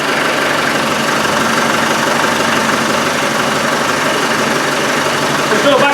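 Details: Malawi 110, started after the exhaust was refitted to check whether back pressure is gone, briefly run without coolant. Steady, even diesel clatter at idle, constant beat, no surging or huffing; normal idle.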